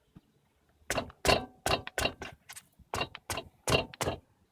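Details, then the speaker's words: Sharp metallic knock each time the wheel is struck by hand, none when struck on the other side, suggesting play in the wheel or suspension, cause unknown; metallic knock at the wheel. "да такой металлический стук что это может быть"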